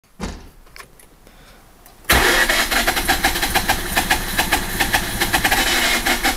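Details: RX8 110000km 2004 rotary engine with broken rotor side seal: very rough, lumpy idle with pulsing beat, power loss, pulsating air suction sound that grows louder when playing with the throttle.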